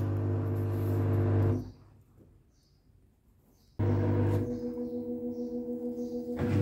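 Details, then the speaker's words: Samsung Digital Inverter Eco Bubble washing machine on spin-only cycle, 15 minutes set: smooth motor hum, short pause, then a gentle rhythmic pulse as the drum picks up speed; normal spin cycle. "machine is running, spinning, increasing RPM. You can see a little bit because the dark glass. You can hear the noise."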